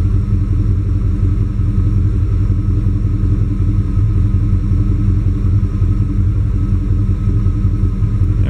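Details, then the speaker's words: Warm GM TBI truck (87-95) with OBD1 code 45, running rich, O2 reading stuck rich, coolant 194: loud, uneven, lumpy idle, engine shaking; owner suspects O2 sensor. "this thing shaking like a bastard man"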